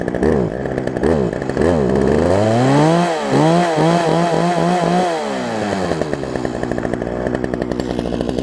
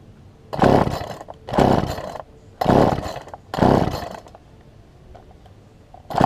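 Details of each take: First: Poulan Pro 18" two-stroke chainsaw, revived from an equipment lot and running again, cutting a log on a test bed: revs rise and fall smoothly, then a steady strong buzz under load; runs clean and healthy. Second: Poulan Pro 18" two-stroke chainsaw, fuel line likely pinched between carburetor and engine: comes up in short revving bursts about once a second, sagging between them, barely staying running; rough running.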